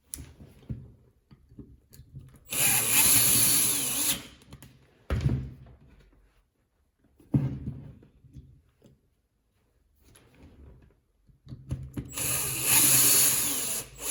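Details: Catpower 6120 angle grinder, in a repair of its rattling sound involving the bearing, spins up in short bursts with a clean, even high whir and no rattle; sounds healthy, normal running.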